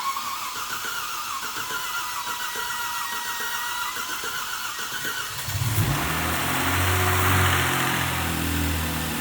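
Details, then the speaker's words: Kia Stinger GTS turbo engine, first start after rebuild: quiet stretch, then the engine fires into a smooth steady idle with no ticking or knocking. Normal start and idle. "Oh, there it is. There it is. She's alive. She's alive. Oh my gosh, this is so exciting. It's probably going to get smoky eventually. All right, here she is. Wow. Smooth as glass already."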